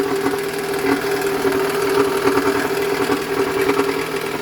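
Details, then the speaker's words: Toyota Alphard ANH20 idling very harshly with gritty rattle and irregular knocking; initial diagnosis likely a broken balancer shaft gear whose fragments clog the oil strainer, starving oil to the cylinder head; fix is balancer shaft replacement plus oil and filter change. "Oke, jangan lama-lama kita matikan. Suara mesinnya sangat kasar ya. Nah, diagnosa awal kemungkinan balancer shaf-nya udah pecah dan serpian gear balannya balancer shaf-nya itu menyumbat di strainer."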